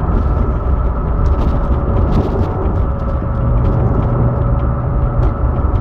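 Low engine drone with a faint steady high note layered on top, not changing over the clip; a hum of unknown cause.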